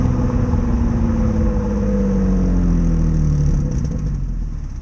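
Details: 2005 Nissan 350z with VQ35DE V6 and stock exhaust, driving: deep rumble rising under acceleration with a raspy, blatty edge from a big exhaust leak.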